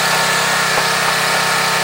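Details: Craftsman 2700 PSI pressure washer, Briggs & Stratton 175cc engine, after carburetor jet work for a no-start: under full-pressure load, strong constant engine note with pump hiss, no stumbling or dying; runs healthy.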